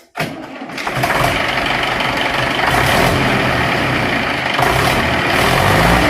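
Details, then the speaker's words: HMT 6522 diesel tractor after a full engine rebuild, throttle raised after starting: catches quickly and settles into an even, firm clatter with no knocks or misfires, normal running under throttle, described as still a very good sound. "तो हमने एक litre को देखकर देने के बाद भी इसकी आवाज़ बहुत ही अच्छी है"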